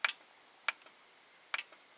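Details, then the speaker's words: Fisher FVH-825 vintage VCR (idler repaired, pinch roller bad): three sharp double clicks as the tape speed button is pressed, a relay or mechanical switch activating normally with each speed change. "And as you can hear, there is something that there is like a relay that that activates when you press that. So there's like a mechanical switch that activates when you change the tape speed."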